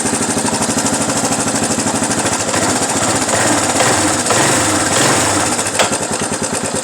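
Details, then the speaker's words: 1992 Suzuki LT230E quad runner single-cylinder engine at idle: light, fast metallic rattle over the steady thump near the cam chain tensioner; owner suspects the cam chain tensioner and plans a cam chain adjustment. "Right in here is like a little mechanically rattly noise. I don't know if you can hear it."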